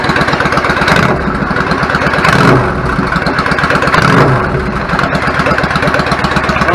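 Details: 1999 Yamaha V-Star 650 Classic, 650cc carbureted V-twin, 16K miles, after cleaning clogged pilot jets following long storage: even loping idle holding speed on its own between brief throttle blips.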